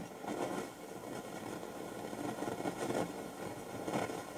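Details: 1969 Telefunken Gavotte 201 transistor tabletop radio, midday on AM/long wave, antenna possibly broken; steady hiss and crackle, even static, no station; no reception.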